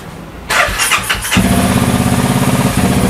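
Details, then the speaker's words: Honda Wave with a CBR300 engine, first start on a newly loaded tune file: catches after a short crank and settles into a quick, steady idle that is too fast, so the fuel value is then lowered; fast idle. "มันเร็วไปใช่มั้ยเรามาลดค่าน้ำมันหน่อย"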